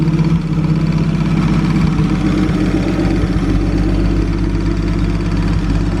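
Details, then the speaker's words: 1937 Talbot 3 Litre straight-six, recommissioned after decades unused, on a brief run while things get used to running again. Deep, smooth, even burble at steady idle with no knocks or misses; healthy idle. "can't beat a nice straight six"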